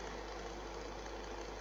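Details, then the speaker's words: Fan heater after a temporary repair with electrical tape on the spindle: an even, steady whir with no rubbing or ticking; the fan now spins freely and runs normally. "truthfully there's a fan you can probably hear the noise anyway so you can tell the knot from the noise anyway so there you go that's that fixed now"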